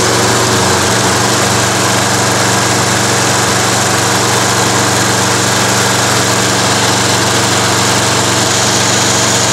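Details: Toro Recycler lawn mower during an Automatic Drive System conversion: loud, steady single-cylinder drone holding an even speed with no misses or surging; owner notes the primer bulb needs redoing and the recoil starter is a bit noisy; normal running.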